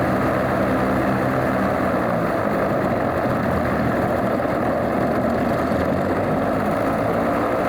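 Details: Alvis Leonides Mk 25 radial engine in a Percival P.56 Provost trainer aircraft, run up after starting with all plugs sparking: steady, even low throb at idle with no misses, knocks or rattles; normal healthy idle.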